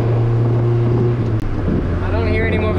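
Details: Honda CRX with all-motor B17 engine, driving under light throttle after a new brace fixed a rattle and the wideband was relocated; steady, even low drone, no rattle or vibration. Healthy exhaust; fueling slightly rich in low-end spots.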